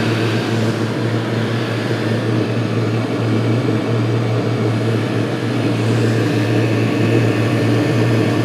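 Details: Chinese 5–7 kW 12V/24V diesel air and water heater just started: glow plug off, internal pump on, drawing 5 amps at 11 volts, housing 168 degrees after 5 minutes, warm water flowing. Steady low hum under an even combustion roar, no misfires or surging; normal running.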